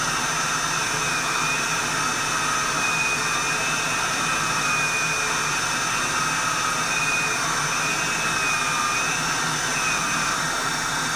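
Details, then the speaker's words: Reconditioned vacuum cleaner, motor running: a steady high-pitched rush with a faint rough whine on top shows a little motor bearing noise, though not the worst. The motor is judged good enough to sell as is without replacement. "A little bit of bearing noise in that motor, but it's not the worst."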